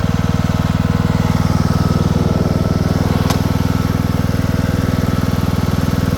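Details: Craftsman II lawn tractor with a swapped-in newer engine and a bad key switch: single-cylinder thump at a steady, even beat of about four per second, no misses or knocks; runs healthy.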